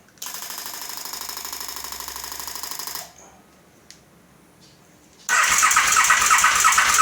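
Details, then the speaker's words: 2008 KTM 950SM cranks evenly for about three seconds without firing; fuel reaches the carbs, which were cleaned; spark confirmed on the rear coil only, front unchecked; fuel sprays only in the rear cylinder, front dry; owner wonders about spark plugs. "Yeah. So, it's not starting. I don't know what it is."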